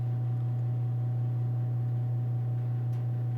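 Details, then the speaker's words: Old gas heater in a bedroom running: constant low-pitched hum with faint hiss over quiet room; humming noise, source not pinned down. "this is the ambient noise this is the noise it makes and stop me your noise at all and if you can hear that little hum"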